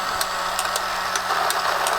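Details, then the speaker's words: Tomy Super Cup electric football game after repair: steady motor whir with irregular sharp plastic clicks from the corner flaps flicking up and down; running normally. "turn it on this thing makes a racket [Applause] the clicking you can hear are the little corners"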